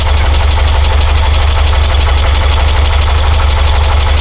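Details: Porsche 912, Dellorto DRLA carburettors, after the update kit and a test drive: lumpy loping idle with a regular uneven beat, running on three cylinders; owner suspects a plugged idle jet.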